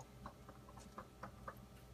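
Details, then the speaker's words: Whirlpool WRF736SDAM bottom-freezer fridge, knocking from first day: quiet irregular light knocks about every quarter second over a faint hum, occurring several times daily for an hour or more; cause not found. "it started making this knocking noise that you can hear here it happens several times a day for an hour and plus at a time"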